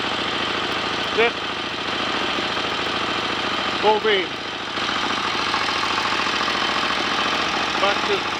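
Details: 1930 Royal Enfield Model K 1000cc V-twin motorcycle, kickstarted and left on a fast idle with lights on to check charging: loping, even idle with a regular firing beat, no knocks or rattles; normal idle.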